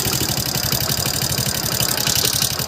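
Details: Hero Passion Plus motorcycle after engine repair: steady even idle with light valve tick, no heavy knock; loud tick-tick noise from before is gone, normal idle.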